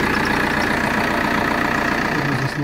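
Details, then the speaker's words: Opel Vectra C 1.9 CDTI wagon inspected as a used car, just started: a steady, even diesel clatter at idle with no misses or knocks, though some belt or roller whistle was noted; smooth diesel idle. "Поворачиваются фары, свистит какой-то ремешок, ролик, электрично, мотор работает ровно."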